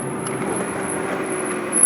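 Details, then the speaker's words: Nissan GT-R front Brembo brakes slowing from about 30 mph after pad cleaning and greasing the pad backs. A thin, steady high-pitched squeal rings over road noise throughout. The fix failed; the squeal is attributed to high-performance pad material. "so we'll get up to about 30 m hour and I'll slow down right about now and yeah I hear it well that's not going the way I was expecting"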